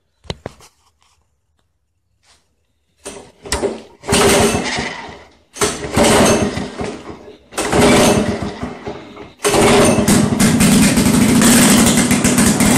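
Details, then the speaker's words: 1991 Lawn Boy L21ZPN two-stroke mower on full choke, fuel just turned on: a few pulls and coughs, then runs loud and raspy; owner points to the exhaust gasket as the noise source, before muffler replacement. "Okay, so you heard how noisy it is. You saw that it runs though."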